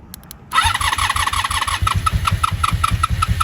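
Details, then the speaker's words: 1983 Honda V45 Sabre VF750S, battery now charged, starter solenoid jumped directly: brief click and crank, then it catches at once into a quick, steady idle; starter and engine work, so both starter buttons are suspected dirty. "ready okay well she definitely works so we're going to do this I'm going to get her to warm up and get her running"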